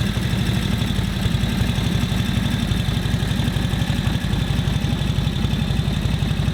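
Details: 1941 Harley-Davidson WL 45 cubic inch twin after ignition timing set: lumpy, uneven low thumping at tick-over never settling; rough idle, mixture won't adjust properly, carb float level suspected, not confirmed.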